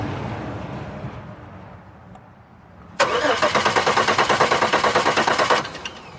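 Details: 2002 Chevy Malibu, fuel pump running but injectors not opening, no tach signal; owner suspects cam sensor or ECM: steady starter cranking about three beats a second for nearly three seconds, no firing; cranks but won't start.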